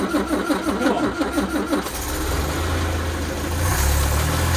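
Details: Land Rover Series 2A, first start after engine rebuild: brief uneven cranking, then it fires in about two seconds and settles into a steady idle that firms up; a clean, healthy start.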